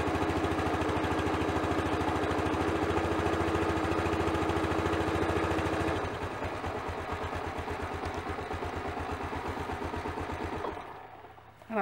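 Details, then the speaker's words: Honda CT110 engine after new head gasket, with cold-set valve clearances of 0.002 in (0.05 mm): idles smoothly and evenly, tapping gone, then settles lower and shuts off. "I think you'll agree tapping noise is gone the engine sounds much much better Happy Days"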